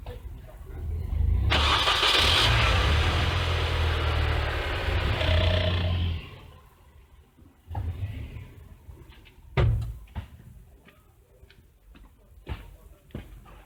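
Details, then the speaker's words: 2001 Mini Cooper with intermittent no-crank: with relay refitted, sharp single clicks repeat about once a second amid garage noise; starter relay is switching properly. "If I put the relay back, there's a lot of noise around me, but I don't know if you can hear it going click, click, click, click. It's working."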